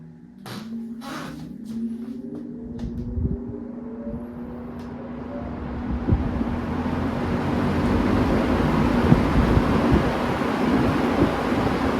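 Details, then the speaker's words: Vintage Manning Bowman fan, not run in five or six years and with a questionable speed switch: the motor spins up smoothly with a steady hum rising in pitch into an even rush of air. Quiet, healthy startup. "Pretty darn quiet. Excellent startup sound, as you heard."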